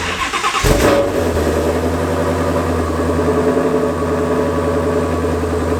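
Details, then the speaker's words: Ford Mustang GT350 with twin-turbo built engine, first start after build: cranks briefly, catches cleanly and settles into a steady, even idle with no knocks or misses; normal start and idle. "Literally started up perfect. No way, dude. She lives again. Woo! That is so sick."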